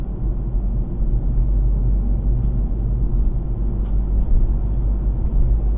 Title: Golf 7 VII weird noise P2